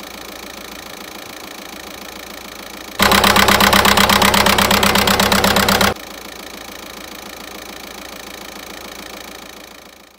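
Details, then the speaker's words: VW 1.9 TDI 105 hp diesel after replacing the injector wiring harness: even, steady idle clatter with a regular beat and one louder stretch midway, running on all four cylinders again. "Donc j'ai remplacé le faisceau et là le moteur s'est remis à tourner sur 4 cylindres."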